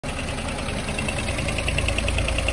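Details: Ford petrol engine with the check-engine light on rattles with quick, even metallic taps under acceleration, sounding like engine damage; new spark plugs, coil and leads didn't help; the cause was a vacuum hose not properly attached.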